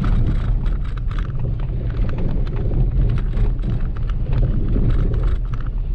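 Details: Maruti Wagon R while driving: irregular clunks and rattles over heavy road rumble from the front suspension on both left and right sides; worn front ball joints knocking.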